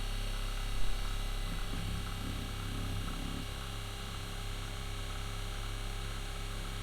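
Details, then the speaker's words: RV fresh-water pump after winter camping (owner suspects it picked up ice): a steady, quieter electric hum that runs on without shutting off because it never builds pressure. Leak in the water line. "well hopefully we're building some pressure this one is way quieter the pump should be going off by now"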